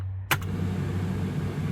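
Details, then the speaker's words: Humvee (HMMWV) with a newly installed Suzuki ignition switch wired into the power loop: a click as the key turns, then a steady low fan hum settles in and holds even; the fan runs normally. "So, when I have the fan on, so you'll hear the fan."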